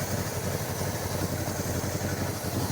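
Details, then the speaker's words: 1977 Pontiac Can Am V8 first start after years sitting: steady, even low idle, no misses or knocks, timing not yet set, vacuum leaks unchecked; an exhaust leak underneath is noted. "Heck yeah. I mean, we haven't done anything. We haven't even set the timing yet. And it's idling so so smooth."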